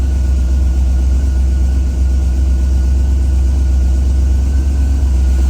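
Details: Boosted Ford Crown Victoria right after fitting a replacement intake manifold (the old one blew apart): a deep, steady idle hanging above 1,000 rpm without settling. A vacuum leak is suspected; booster hose, vacuum lines, blow-off valve and fuel pressure regulator look fine, so it is being probed with brake cleaner.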